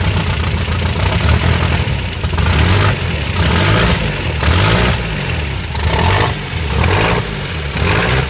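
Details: 1984 Toyota Pickup 4x4, 22R engine in 22RE conversion with no knock sensor fitted: loud rough running with revs surging and dropping about once a second; noisy but no clear fault.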